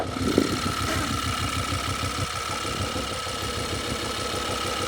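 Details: Tuned Audi RS6 on a dyno, idling: uneven, lumpy low pulsing with an irregular beat; it sounds like it is running on only some cylinders. Cause not confirmed, and the problem was later sorted.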